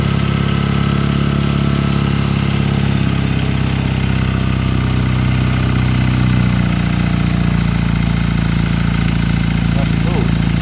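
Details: Classic Fiat 500 two-cylinder, first start after 695cc engine upgrade: catches and settles into a steady, slightly lumpy idle on choke, firing pulses even throughout; sounds healthy, normal start and idle.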